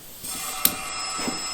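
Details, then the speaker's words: 1971 Chevy Nova, number 2 cylinder with no compression, rocker arms backed off, about 80 psi of air fed in through the plug hole, throttle open: steady hiss of air out of the carburetor; intake valve not sealing, exhaust valve possibly leaking too. "and it's blowing out of the carburetor because the exhaust valve is not sealed at all. Or, I'm sorry, the intake valve is not sealed at all."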